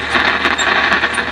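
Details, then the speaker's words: 1960s GE AM tube radio that worked at first then turned noisy: irregular crackling and popping over hiss with no steady tone; bad mica capacitors in the IF cans. "this is that characteristic sound of bad uh Micah caps in the if can it's just a crackle no so this one's going to need some more work"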